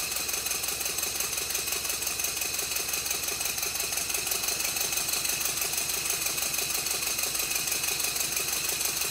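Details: Rebuilt Stuart Twin Victoria model steam engine, baseboard on bubble wrap, after a minor timing tweak, re-oiling and silicone O-rings fitted to the crossheads: quick, even light ticking at a steady beat, no knocks; running smoothly and well timed.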